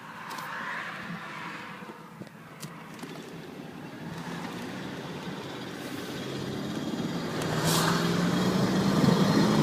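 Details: Car pulling under load with a light, uneven rattle over rising engine drone, only audible under load, not at idle; exhaust smell in cabin but no exhaust leak found; rattle under load.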